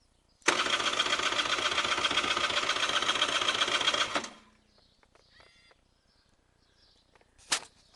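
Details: Honda NSR 125R: steady cranking about four strokes a second for several seconds, never fires; broken spark plug, no start.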